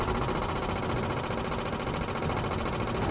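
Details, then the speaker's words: 1930s Morris 8 Series 1 with an SU electric petrol pump, first draw from the tank after the line was blown through: fast steady buzzing clicks while it primes the float chamber. Normal priming. "up making a few different noises eventually you want to hear it slow right down and so do and then should be filling up the float chain in there slowing down that sounds encouraging"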